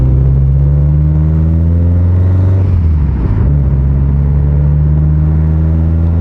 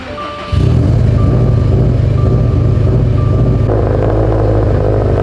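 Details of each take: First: Rebuilt Subaru STi engine running after a short test drive following repair. A deep, steady note holds an even pitch with only a brief dip: no cylinder roughness, no knock, AVCS and AFR readings normal, and boost working. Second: Subaru STI, cold start after sitting overnight: uneven, stumbling idle with irregular low thumps, one cylinder dropping out; misfire with code P0354 ignition coil D (coil four, cylinder four) circuit; suspected coil, spark plug, ground or wiring harness.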